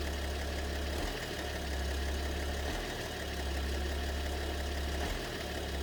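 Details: BMW 730d with M57 (306D3) diesel at idle; low knock fades to a quieter spell then returns with ticking; owner suspects possibly two cylinders involved, mysterious knock, cause unknown.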